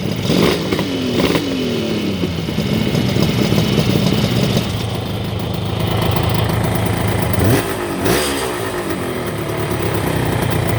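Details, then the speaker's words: Green Kawasaki 750 H2 two-stroke triple, back from workshop, slightly throatier than the 350: crisp, even idle with clean quick blips rising and falling smoothly, no rattles; healthy. "And the 750 that we've had in before, which sounds just a little bit throatier."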